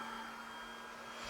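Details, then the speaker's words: Used Flashforge 5M Pro 3D printer at power-on, initialization off; steady airy whir with thin constant tone as hot end fan starts because tool head board falsely reads hot end at 230°, even when removed; faulty tool head board. "and if we look at the control panel you will see see that it thinks that the hot end is currently 230° even though I've got it in my hand so doesn't matter if the hot end is in or not it always reach 230°"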